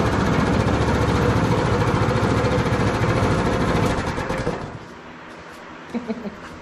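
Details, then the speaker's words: Predator 212 Hemi single-cylinder with governor removed, just reassembled: a steady, quick putter with no knocks or misses; oil in the cylinder makes it smoke a lot but should burn away; normal running. "there's some old in the cylinder making it smoke a lot but that'll burn away and it sounds like it's running pretty good"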